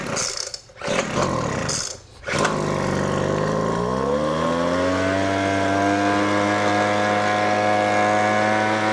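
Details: Weed Eater FB25 25cc two-stroke blower after a new primer bulb, spark plug and fuel lines, primed six times and choked: it catches after pull-start bursts and settles into a steady high buzz. Normal running.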